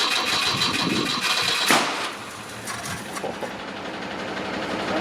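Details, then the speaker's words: Ford Cortina Mk1 original 1200 engine, points cleaned, small spark, E85 fuel poured into the carburettor after it fired a couple of times. Starter churns steadily about four beats a second, engine never runs on its own; crank no start, fuel not being pulled up suspected. "It's got a spark. We've had it fire a couple of times, but hopefully now it can pull a bit of fuel up."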